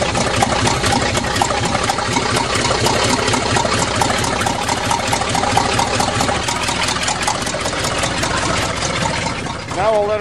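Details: 1977 GMC truck with 400 V8 after a fix, cold start: settles into a steady even idle, no knocks or misses; normal idle.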